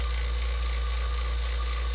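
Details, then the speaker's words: Vacuum pump evacuating a Silver King 5-foot prep cooler after capillary tube replacement and held pressure test, target 500 to 1000 microns: steady even motor drone, faint constant high whistle, no knocks or surging; running normally. "so my pressure held and now I'm gonna start vacuuming I got my test oh my Kanye tripped up so I can see how many microns I can get this down to"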